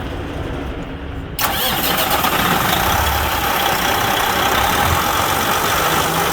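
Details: Semi truck diesel cranks briefly right after a Davco fuel filter replacement (top cap and bottom ring retightened), then catches cleanly and settles into a steady idle with no misses or stumbling.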